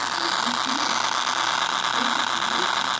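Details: iPhone SE speaker, happening only in Facebook app: thin, dense fast ratcheting crackle like a spinning pawl; owner thinks Apple repair needed.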